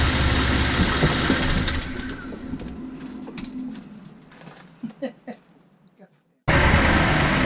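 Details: 2014 Cadillac CTS V-Sport, 61,000 miles, revving in neutral in the driveway: tinny metallic rattle each time the throttle is released coming off boost, turbo area suspected; dealership said nothing is wrong.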